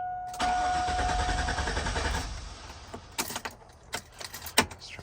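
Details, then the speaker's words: GMT800 GM Yukon with almost 200,000 miles, after fuel pump work with the fuel lines empty: starter grinds steadily about two seconds then stops with clicks while the pump is cycled to prime; extended cranking while the fuel system primes. "we're going to have to charge the fuel up a couple of times because obviously no fuel's been in line so we'll hear the pump kick on turn it back off pump back on give her a try"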